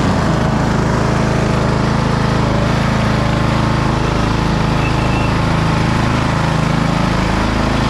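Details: 2008 Husqvarna LTH1538 lawn tractor, mower deck running: steady even hum with smooth blade whir and no scraping or binding. The blades were not seized; after engaging twice they spin freely and sound good.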